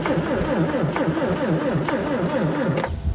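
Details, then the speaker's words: 1981 Ford Courier/Ranger that sat for years, starter hot-wired across the solenoid on a charged 12 V battery: steady, even churn at about five turns a second with no binding, then stops; engine spins freely, not seized. "That's good news. Fact that it spins is really good."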